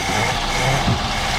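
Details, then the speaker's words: One of two long-abandoned Fords (1962 Falcon or 1967 Galaxie), first start after sitting a long time: short, steady, even V8 idle with no misses or knocks. Normal idle. "Here we go. There it goes. First running start."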